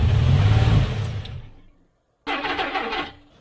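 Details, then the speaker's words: Abandoned 1991 GMC Sierra 4.3 V6 with a new distributor, fed only a small charge of gasoline: it catches with a rumble, runs barely a second, then winds down and dies. Fuel starvation; the fuel charge ran out. "Get started. I mean, of course it couldn't run long because, well, that's all the fuel that it has."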